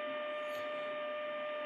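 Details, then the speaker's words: Grundig 2147 radio during AM IF alignment after recapping, signal generator test tone: steady mid-pitched tone over constant hiss; signal low, so the AGC probably isn't kicking in. "that's about right so i can discern the signal but i've got some static which means that the agc probably isn't kicking in"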